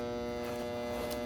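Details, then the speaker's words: About 8-year-old home AC condenser in desert heat, fan spinning but compressor not running, contactor coil getting 25.6 V of 28 V: constant loud buzz that goes quieter at times, with no pull-in click; failing contactor. "And hearing it humming like that, you see how that gets quiet? That's a sign that there's some failure going on there."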